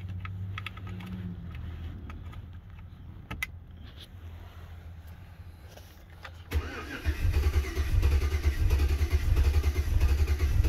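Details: 2007 Chevy Avalanche 5.3L after ECM replacement, codes P0123, P0223, P0315, P0633, U0214: low, even starter cranking with no firing; cranks but won't start. Owner leans toward bad anti-theft module or cheap key.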